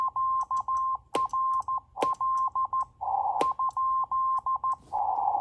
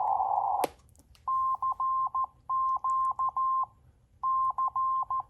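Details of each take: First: NC40A CW transceiver on the bench at 7060 kHz, sending QRL with the hand key; steady mid-pitched Morse tone with a sharp click at the start of each new character, cause unknown: key clicks on CW transmit. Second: NC40A CW transceiver at 7060 kHz playing a recorded CQ from memory instead of the hand key; clean tone near 1 kHz, crisp starts and stops with no clicks, so clicks come from using the key: clean CW keying.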